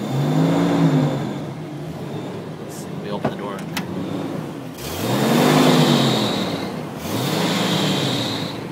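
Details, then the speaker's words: 2006 Jeep Wrangler Sport mail truck idling in neutral and revved: a thin high whine over the engine that rises with revs. The owner suspects the belt was wet from detailing dressing or a clutch fan problem; unconfirmed. "it might have just been because the detail guys you know were screwing around and put too much of their stupid Dippity doodah juice on the motor whatever they did and got the belt real wet"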